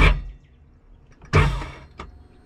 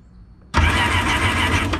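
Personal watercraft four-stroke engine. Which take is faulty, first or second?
first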